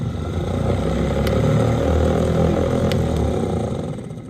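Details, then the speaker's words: Starter removed from an International 1566 tractor with a starter problem, bench-tested: steady, even whirring spin with a low growl and no grinding, then the solenoid kicks in. The starter itself runs freely and sounds healthy. "so both so when we hooked the the power to the starter the starter spun obviously you guys saw and then when we hooked the power to the solenoid it kicked in"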